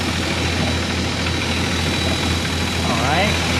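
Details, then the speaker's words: 1999 Formula 280 Sun Sport with twin MerCruiser 4.3L Vortec engines and a newly swapped port engine, idling after the timing was set: steady, even low hum with no misses or knocks, running smooth. "Sure. Everything's still where we want it to be. You're running smooth, too, guys. I really like it."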